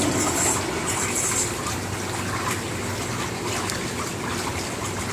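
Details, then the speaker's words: Jacuzzi J 480 hot tub, about 480 gallons, water at 99°F with setpoint 95, jets firing on both sides with no air added. Steady, even rush of water over a low pump hum, no surging or rattle; jets running normally. "So that's the jets going, and there's no addition of air at this point."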